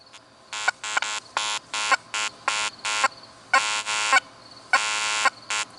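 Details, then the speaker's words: Makro Racer 2 metal detector in 3-tone mode with gain cranked up: irregular bursts of high buzzy tones, choppy and unstable; chatter at maximum gain. "Next up, the racer. I got it in a 3-tone mode, cranked up. Notice what it cranked. Really chattery."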